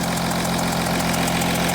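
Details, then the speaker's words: Audi Q7 3.0L diesel idling, codes P0272 and P0087; sharp regular puffing tick over the clatter, compression leaking at an injector, whose copper sealing washers are to be replaced. "so this injector here this injector here is leaking compression okay"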